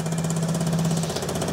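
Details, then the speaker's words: Vespa GTS scooter, older winter-project beater, just started: steady low idle drone with a faint puffing hiss; an exhaust leak is heard, while intake manifold cracks or sealing are also to be checked. Not confirmed. "I'm going to go ahead and start the scooter I can tell you one thing I hear it exhaust leak so that's a hint of one of them"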